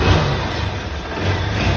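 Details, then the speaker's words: Honda CG 160 after engine rebuild (connecting rod, cylinder kit, valve), revving smoothly with deep even exhaust and no knocking; previously hard to start with terrible knocking, now healthy. "zero tá aí ó Show de bola e tava ruim de pegar né E era um barulho terrível né terrível meu Deus do céu tá aí ó aí show de bola mesmo"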